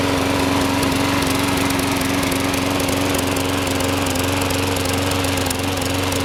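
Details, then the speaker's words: Sears Craftsman 21-inch lawn mower after a carburetor and fuel system clean, oil change, used air filter and new blade: it runs at a steady speed but stumbles every second or so, a faint irregular skip; cause of the misfire not confirmed. "plug but it's got a slight skip in it that hasn't cleared up yet"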